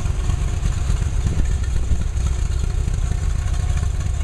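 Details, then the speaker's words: 1969 Corvette V8 with new Profiler heads and intake, curb idle about 800–850 rpm, timing about 12° BTDC, no vacuum advance: deep lumpy uneven idle; owner thinks it wants more advance. Cause not confirmed. "still doing some tweaking with the curb select the idle at about 800 850 much lower than that she's not too happy"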